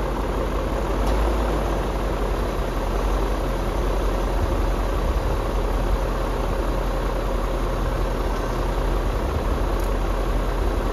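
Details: BMW E39 M5 S62B50 V8 first start after timing chain tensioner replacement: brief chain rattle 1-2 seconds while tensioner fills with oil (normal), then deep even quiet idle with no rattle or ticking; healthy.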